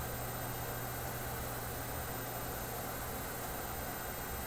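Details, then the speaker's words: Philips 922 vacuum tube radio at first power-up after all its paper capacitors were replaced: a steady low hum over a faint hiss persists even with the set switched off, though the power switch had been shorted out. "somewhere we got a hum as soon as I hit the power I could hear a hump where the heck did that come from"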